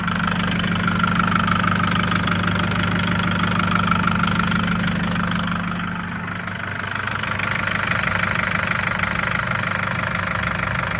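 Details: 2011 Nissan GU Patrol CRD automatic diesel idling: loud steady knock, about three raps a second over the clatter; also no power, stalls when driven slowly cold, codes P0088, P0089, P1090.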